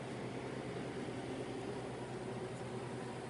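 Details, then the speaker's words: Ice machine starting a freeze/pre-chill cycle: compressor humming, water filling, then the condenser fan comes on with a steady, even whoosh of airflow, no rattle or scrape; normal condenser fan operation. "We got water coming in. Fan came on."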